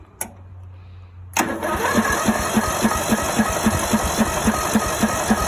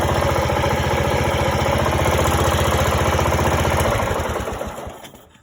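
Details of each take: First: Greenfield E2000 ride-on mower, 17HP Briggs & Stratton Intek OHV engine, sat parked for years, choke on, jump pack for loose battery connections: starter turns it over steadily about four beats a second for seven seconds but it never catches. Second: Greenfield E2000 ride-on mower, 17HP Briggs & Stratton Intek OHV, sat for years, revived: even steady beat about four pulses a second, smooth and regular until shut-off; runs nicely, healthy.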